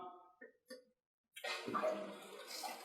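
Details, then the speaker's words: Viessmann Vitodens 100 B1HA/B1KA boiler powered back on after an F38 fault repair and refilling with water: quiet, watery gurgling and bubbling in short bursts from trapped air, cleared by bleeding; air in the heat exchanger. "i do hear a little bit of air in there we'll take our bleeder once again give it a burp we got a nice solid see all the bubbles are gone"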